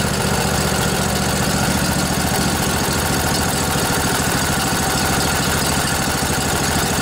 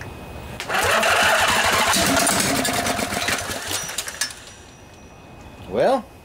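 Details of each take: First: Revived junkyard Briggs & Stratton Intek OHV twin, 20–22 hp, model 40777, in a Husqvarna riding mower, with a new carburetor: steady, even idle with a constant low rumble and no misses, knocks or speed hunting; runs cleanly. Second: Long-sitting junkyard Briggs & Stratton Intek OHV twin (20-22 hp, model 40777), on a truck battery with 50 amp charger, starting fluid sprayed in each side: slow, uneven cranking chuffs with brief catches that never settle; cranks but fails to start, though it wanted to.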